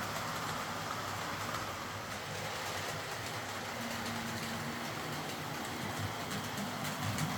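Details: Old Hornby R751 Class 37 model locomotive after repair, wheels cleaned of corrosion with a rotary tool and brass brush, body refitted, on track: even, steady motor hum with light track rattle, no surging, catching or grinding; normal running.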